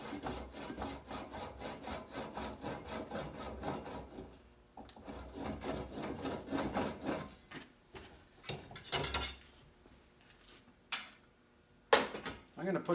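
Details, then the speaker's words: English wheel on light pressure over the repaired left rear fender of a 1950 Chevy 3100: gritty, uneven rasp surging on each back-and-forth pass, rough because of hammer marks left in the panel. "I'm going to set it on light pressure. Hear how rough it sounds? All those hammer marks."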